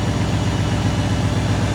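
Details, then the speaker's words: Diesel truck engine after in-frame rebuild, idling before warming up for a test drive; bad injector found earlier and smoking now gone: deep, even idle with steady, regular firing pulses, no knock or miss. "This baby sounds good. No more smoking now, but still sounds good."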